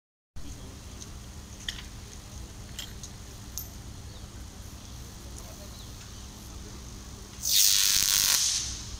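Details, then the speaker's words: Bare-hand live-line work on a 220 kV power line: quiet background with faint ticks, then a loud hissing crackle for about a second as a spark arcs between conductor and pulley when the conductor leaves the line's induction zone. "We could clearly see a spark between the conductor and pulley. This spark occurs at the moment when the conductor goes beyond the induction zone of the power line."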